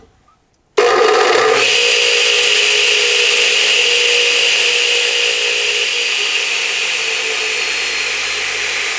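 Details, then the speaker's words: Radial arm saw motor powered on, then coasting down: high steady whine with a dry rasp and slight vibration as the blade spins down. Bearings in rough shape. Worn motor bearings. "Uh, so this saw behaves much the same as the other saw. However, the bearings in this saw are in rough shape. I'll power it on here so that you can hear"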